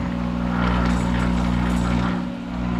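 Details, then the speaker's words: Monarch 10EE lathe, thyratron drive, warmed up after sitting a month, spindle in reverse at 200 RPM gripped by hand: electric hum with low growl deepening briefly then settling as speed compensation works; normal. "you hear that growl that is speed compensation as it senses the load and a reference voltage is used and when there's a difference between uh it adds power to the uh Armature circuit to maintain SC"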